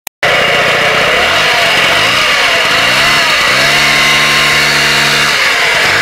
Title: vespa piaggio ciao sounds like a vacuum cleaner